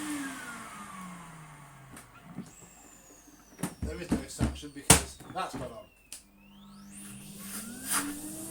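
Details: Skip-found, very worn Numatic Henry HVR200 vacuum that had failed a PAT test, run on a makeshift plug; some clattering, then a smoothly rising whine settling into a steady hum, motor runs normally.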